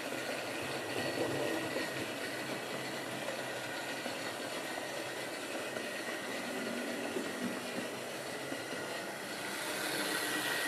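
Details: Wrenn West Country class model loco Lyme Regis, not run since the 80s, after joints greased and reassembly: steady, even whirring hiss, no knocks, rattles or speed surges; runs smoothly.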